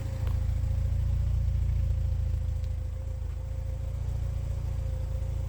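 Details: Porsche 944 project after over a year off the road, vacuum lines replaced, run a few minutes: steady even low rumble with regular beat, no misses; smooth healthy idle once earlier rich running cleared.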